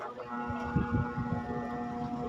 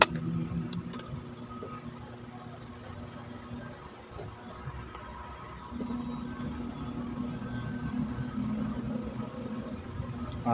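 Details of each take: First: Standard-brand stand fan on speed 1: steady electrical hum as the motor won't turn; it spins only with a hand push and is then very noisy, due to a worn, loose shaft bushing. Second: Standard-brand stand fan after repair of its loose bushing runs quietly with a low steady hum and smooth airflow, no rattle or grinding; before the fix it hummed and was very noisy when turning.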